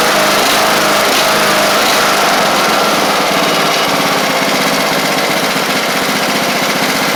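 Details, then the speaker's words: Craftsman LT1000 Briggs Intek mower on a cheap replacement carb with an undersized jet: an uneven, lumpy beat at about four pulses a second that stumbles and chuffs. The owner plans to drill the jet out a thousandth. "awesome know it runs like crap I do have to drill that jet out a thousandth or so on that carb"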